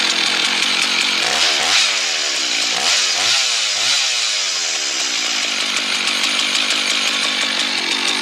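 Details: Husqvarna 1100 two-stroke chainsaw cutting wood after the owner fixed its stalling, four-stroking and low chain oiling: a high-revving buzz that dips and recovers with each bite and pulls cleanly without stalling; normal running under load.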